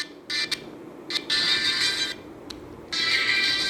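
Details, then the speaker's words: Samsung A50 phone loudspeaker after fixing its distorted, vibrating sound by insulating the top part with tape: bright ringtone-like bursts play cleanly, no buzz or rattle, volume not reduced. "o som não fica baixo ó tá perfeito Problema resolvido"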